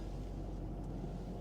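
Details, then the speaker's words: Ford F-250 Super Duty 6.7 Power Stroke diesel, 43,321 miles, emissions fault warning of 50 mph speed limit: deep steady rumble just after start, no knocks or misses; runs and sounds good, normal idle. "runs good, sounds good."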